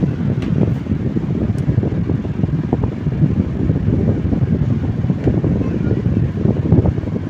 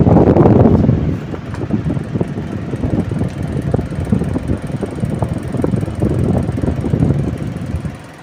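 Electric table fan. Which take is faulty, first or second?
second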